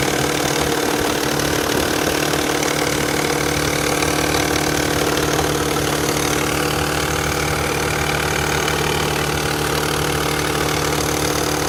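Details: Nissan Fairlady Z Z32 twin turbo, comparing hydraulic lash adjuster noise just after start and after warm-up. A quick, light clattering tick over a steady idle at about three per second, the typical lash adjuster rattle, louder right after start.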